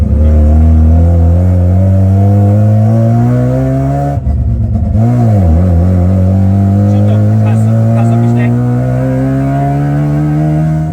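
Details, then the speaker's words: Mazda Savanna RX-7 FC rotary on its first test drive after 15 years off the road: smooth buzzy rotary note climbing evenly with revs, a short lift for a smooth downshift with no grinding, then clean pulling; a healthy rotary sound. "the sound is fantastic!! this is "true" rotary sound!!! this is exactly the sound we were hoping for!!"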